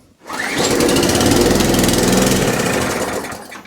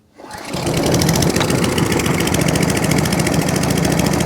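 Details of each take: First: Mower engine, petrol in, fuel tank on, pulled on choke with some revs: catches and runs fast about two seconds, then dies; fires but won't keep running; owner suspects the carburettor and plans to remove and clean it. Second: Atco Balmoral 14S mower, started with a bit of choke: catches quickly and settles into a steady, even rapid firing beat with no misses or knocks; running healthily (drive grunchy, pinion gear suspected).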